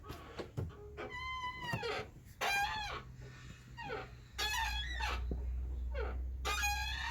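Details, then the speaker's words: Ford Fusion tailgate swinging: high, wavering squeals from dry hinges; owner plans to pull back the trim and grease the hinges. "старі двері скрипить зараз будемо виправляти це зовсім не діло цей скрип мене просто добиває"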